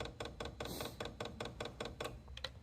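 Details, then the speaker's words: Chinese diesel parking heater (12 V power supply) showing error E-8 (no combustion/fuel) after a power outage: fuel dosing pump seized, cleaned and refitted, now clicking crisply and evenly about five per second, normal pump operation. "so let's throw it back in all right so a couple minutes later we're back together let's check it and it's working"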